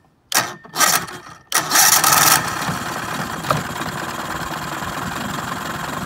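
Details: Mercury 9.9 outboard after clearing a dirt-blocked water passage, tested in a bucket: cranks with a few bursts, catches, settles into a steady even idle with no knocks or misses, and starts pumping water.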